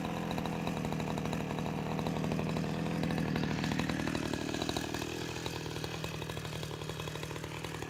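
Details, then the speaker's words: Husqvarna 353 two-stroke chainsaw, restored with gas line and chain drive work, carburetor just adjusted, cutting wood: high buzz drops in pitch as it bites, then picks back up cleanly; runs strong, though chain is grabby and needs sharpening. "all right I think she's gonna run her so that's a 353 I'll run a couple of tanks of gas out of it and then put her on the market I think it's really good"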